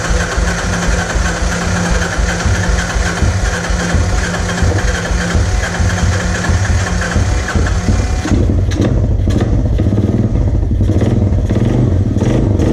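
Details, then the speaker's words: 1986 Honda TRX 200SX ATV, single-cylinder, running on its freshly cleaned and reassembled carburetor with the choke off: steady thump whose beat shifts partway through, then settles smooth; healthy idle. "so I'm gonna adjust the air idle screw but you guys heard it there we got it right"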